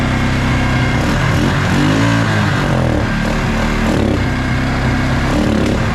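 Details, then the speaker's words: Suzuki King Quad ATV (owner thinks a 300, 1995-97), left outdoors for years, fed fuel poured directly into the carburettor line: it idles well but stumbles and putters out when throttle opens; the owner plans to clean the jets of the original Mikuni carb. "well guys I got it to idle grade it sounded pretty good um however whenever I give it some gas it seems to just Putt-Putt out"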